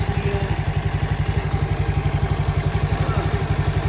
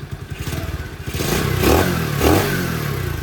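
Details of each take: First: CT70 clone with Nibbi carburetor after going up a pilot jet size (was lean on the bottom end): slow lumpy idle about four chuffs a second, barely running with choke off, no longer bogging cold; idle air-fuel mixture needs a tweak. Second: CT70 clone with Nibbi carburetor after richer pilot jet, not fully warmed up, idle around 1,200 rpm: putters unevenly, then two quick clean revs dropping back without stumbling; no bog.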